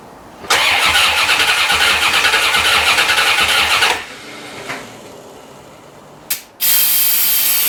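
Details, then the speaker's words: 1990 C4 Corvette V8, rebuilt after 5 years apart for a blown head gasket: the starter cranks steadily for about three seconds, then briefly again, with no firing. Owner suspects no fuel, since it was parked low on gas. "i don't think it's getting any fuel to be honest with you i think that's our whole problem no fuel"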